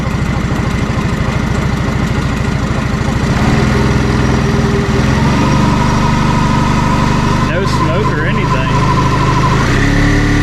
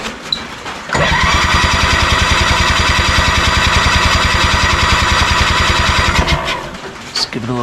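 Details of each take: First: 1987 Honda 3813 lawn tractor revived after years abandoned, reassembled but still without clutch and radiator fan. Low, smooth, steady idle with no misses, knocks or rattles; it idles very low and quiet. Normal idle. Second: 1987 Honda 3813 lawn tractor abandoned for years, no throttle cable, radiator fan or clutch fitted: steady starter cranking about three and a half compression strokes a second for five seconds, never firing; spark present, dry plugs, owner suspects no fuel or timing off.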